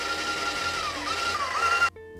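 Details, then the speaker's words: Titan 440i airless paint sprayer after replacing a sloppy, failing prime valve (part 700-258), running in prime: steady, even motor drone about two seconds, no hiss, no gauge jump; primes cleanly and sounds healthy. "no hiss we've got no jumping at the gauge"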